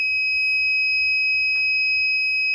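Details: Microtek inverter overload warning: steady high electronic beep sounding continuously without pauses, caused by a blown rear fuse wire.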